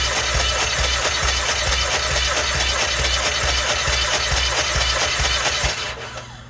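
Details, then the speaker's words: 2017 Hyundai Elantra with a cam position sensor circuit code cranks evenly about twice a second but won't start; the exhaust camshaft doesn't turn because the cam phaser locking pin broke, and sensor replacement didn't help. "here well if you work on cars you would have noticed this cam shaft is not turning that's where the problem is so all the exhaust valves are locked in place not turning due to the phaser here pin breaking at the cam"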